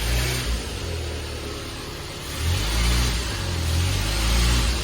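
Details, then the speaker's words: 1972 Fiat 850 Spider after timing adjustment, blipping the gas pedal: deep engine note climbs and falls cleanly with each blip, no misses or stumbles; normal revving response. "That's not bad. Wow, that's really good, actually."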